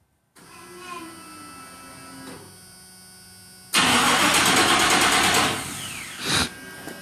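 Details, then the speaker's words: 1987 Chevrolet C10 truck with a throttle body TBI engine, cranked by remote start after sitting a few days; the starter turns the engine in a quick steady rhythm for about two seconds, then drops off without catching; no start on the first attempt. "Alright, that's one time. You know, I've been sitting a few days. It's gonna take more than one attempt this time, I guess."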